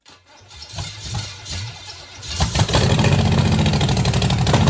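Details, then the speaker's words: 1966 Chevelle small-block Chevy, first start after sitting: cranks, catches and settles into a lumpy, stumbling idle, not firing on all cylinders; misfire because about three spark plug wires were on wrong. "All right, she's running pretty bad. I mean, she fired, but yeah, I don't think she's firing on all cylinders. But all right, make fun. I had like three wires on wrong."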